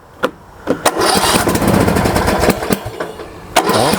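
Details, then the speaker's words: MTD Yard Works lawn tractor, dirty Briggs & Stratton single-cylinder engine, choke on: cranking with a couple of brief pops that never catch, then nothing; fuel starvation, no fuel getting to the carburetor. "We got a little something, but now there's nothing. So, what I'll do to confirm that it is a fuel issue, I'm going to take the air filter off."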